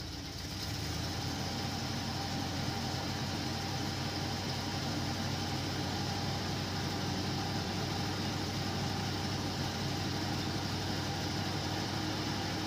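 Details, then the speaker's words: 1979 Ford F-350 with an aftermarket Holley carburetor and no choke, cold start at 36–38°F with slight pedal feathering: it fires right off into a steady, even idle with a smooth low rumble and no knocks or misses. "but as you can hear she fires right off really nice and it has on the coldest morning"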